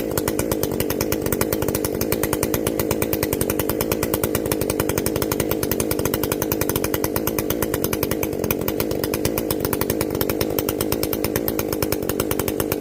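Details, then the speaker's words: Echo CS-590 chainsaw after carb limiter removal and opened-up exhaust, high jet turned up a full turn plus low jet richened: crisp, even two-stroke buzz holding steady at high revs under cut, no bogging or four-stroking; runs clean, not running hot. "i think we did it uh it is definitely not running hot uh i mean from what little bit i tested here all that heat is getting out we've opened up that exhaust"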